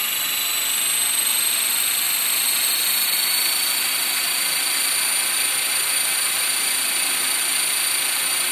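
A high, steady rotor whine with a rough, buzzy rattle riding on it during hover; vibration from somewhere in the head or drivetrain.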